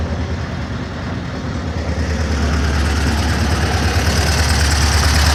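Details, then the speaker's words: VW Kombi engine that was making a noise at the end, after replacing a broken small ring: steady low even idle picking up slightly, no knocks or rattles; running normally after repair. "O anelzinho lá que vai lá, eu fui e troquei ele e agora quando voltou funcionar normal. Beleza, galera? Fica aí, ó. Tá virando mais, hein?"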